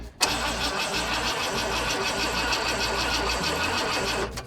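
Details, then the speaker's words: 1985 Ford Econoline E-350 box van, sat for years, cranking on starting fluid: rough, labouring crank for about four seconds that never settles into a run; owner says it sounds like timing is badly off; hard start, cause unclear. "Well, I don't like the sound of that. When it tries to start, it's like pulling timing really bad or something."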